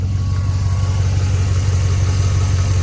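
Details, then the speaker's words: 1999-2006 GM Vortec V8 (4.8/5.3/6.0, non-AFM) with 266,000 miles: a smooth, even idle with zero misfires and almost no lifter tick, perhaps slight on one side. This follows a five-minute lifter-tick treatment run with a full oil fill, then an oil change. "don't hear any lifters ticking. Maybe a little bit on this side. But this vehicle has 266,000 miles on it"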